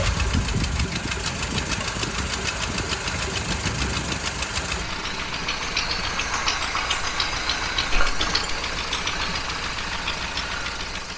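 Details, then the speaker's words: Long-parked 1968 Kaiser Jeep J3000 Gladiator pickup, first revival run with breather and PCV valve missing: light irregular rattling over even idle; owner suspects PCV valve fell inside the valve cover, not confirmed. "I think maybe our PCV valve is down in that valve cover. It sounds like something's bouncing around. It definitely is down in there."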